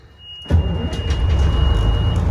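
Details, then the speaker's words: Retired Air Force cabover missile carrier truck diesel, started in neutral: quick crank, fires at once and settles into a smooth, even low rumble; clean, healthy start. "Boom. Man, this thing starts up so smooth. Sounds good."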